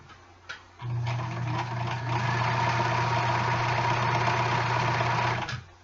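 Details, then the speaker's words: Quiet vintage sewing machine running a second stitch row a quarter inch from the first. Short, even run at about three stitches a second with a soft steady hum and light ticking; healthy, normal running. "Don't you love how quiet this machine is? I forgot how quiet this one was."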